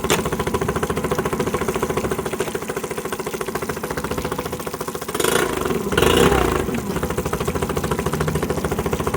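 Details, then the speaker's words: Honda BF10D long-shaft electric-start outboard on water muffs: even, quick low-rev puttering with a brief swell and no knocks or grinding; runs quietly and smoothly in reverse. "reverse as you can hear the motor is extremely quiet runs nice and smooth"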